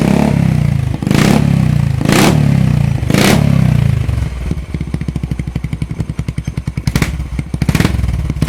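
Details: Yamaha SR400, about 40 years old, exhaust freshly repacked with high-heat, high-pressure fiberglass, titanium pipe reassembled: three sharp throttle blips then steady, even single-cylinder idle thump; clean, solid exhaust note, no rattles, normal.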